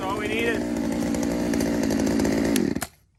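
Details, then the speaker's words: Poulan 2075C chainsaw (owner thinks 32cc, 16-inch bar) after a carb mod and tune, cold morning at about 15°F: it revs high, bogs slightly as it bites wood, holds a steady buzzing note, then cuts off cleanly. It runs normally under cut. "We're gonna run through this, make sure it's cutting. I ain't really too worried about the chain. I really just need to make sure the motor itself is running okay and it'll fire up."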